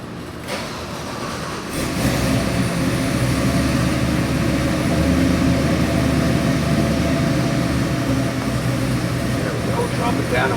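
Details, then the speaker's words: New LS3 416ci stroker crate V8, 600+ hp, for a 1969 Chevelle, dyno run demo: it catches after about two seconds, then holds a smooth, even, deep idle with no knocks or misses. Oil pressure perfect, AFRs great. "Oil pressure is perfect, AFRs are great. Let's make a pull."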